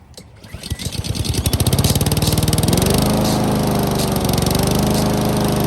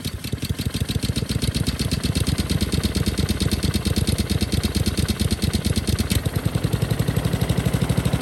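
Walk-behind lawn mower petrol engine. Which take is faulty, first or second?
second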